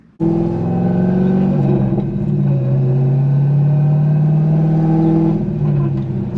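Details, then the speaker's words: Car rear differential whining steadily over road rumble while driving, holding with speed, even right after a diff fluid change; metal shavings were found in the old fluid, so the owner believes the rear end needs replacing. "still hear it already and i haven't even gotten that far from my house so again um we're going to need a rear end"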